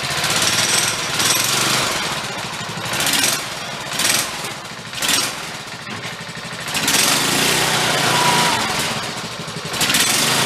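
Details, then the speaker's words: DR Power Wagon small engine after adding an extra clutch spring: loud revving bursts, pulling in second without slipping or chatter; clutch working as it should. "good second doing what it should"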